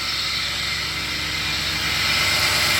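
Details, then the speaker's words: 2017 Toyota Tundra 4.6L 1UR-FE V8, 75,000 miles, idling: steady gritty hiss and dry metallic grind from the belt drive, louder on the passenger side, heard without opening hood; worn tensioner pulley bearing. "I will say like a metal bearing grinding, but I will let you listen."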